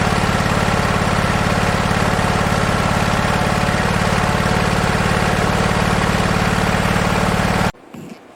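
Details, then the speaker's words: Husqvarna 2246LS V-twin mower: steady low thrum with uneven, stumbling beat, popping badly above about half throttle; one cylinder running much cooler, misfiring. "It does run and drive. Um, it doesn't like to go above about half throttle. It starts popping really bad."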